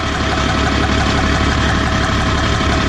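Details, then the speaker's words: 4th Gen 6.7 Cummins drag truck after a track run, loud rough diesel idle with uneven deep knock about three a second, worse than earlier and worsening as rpm rises; owner suspects rod knock, unconfirmed. "Oh, it's worse than it was earlier. Well, listen to this. I think that's rod knock."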